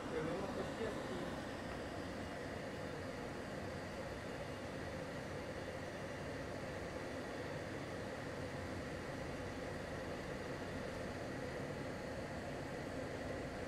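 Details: LG portable air conditioner with the fan switched to maximum (F3) and the compressor at maximum cooling, about 59 dB measured: a steady, even fan whoosh over a constant hum with no rattles or cycling. This is normal operation at maximum.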